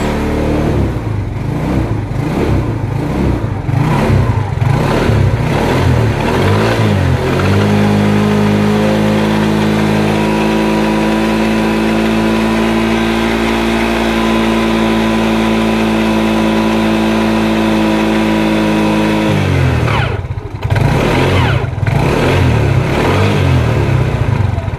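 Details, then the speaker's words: 2010 Yamaha Mio carburettor scooter, after final drive (CVT gearbox) rebuild with new gear oil: idles unevenly, then holds a steady rev with a clean, even drone before dropping to idle; final drive now quiet, normal running. "kita dengar suaranya dan ternyata suaranya Udah mulus banget"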